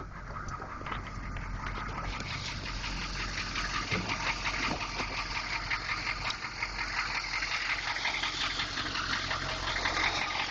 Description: 6.2 engine knock